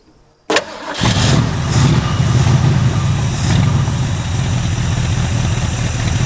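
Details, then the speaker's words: 1967 Ford Mustang barn find V8, sitting 25 years: cranks and catches, then a rumbling idle that steadies as the carburetor float height is raised; rough running improving with float adjustment. "there you can hear it running better as I raise the slow height that's pretty close"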